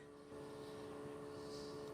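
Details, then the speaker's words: Military truck on a chilly morning, after fitting new fuel filters pre-filled with fuel, engine off: a quiet, steady mid-pitched hum of the electric lift pump priming, with fuel seen coming out; normal pump operation. "fuel pump is back on i hear it i hear it going into that"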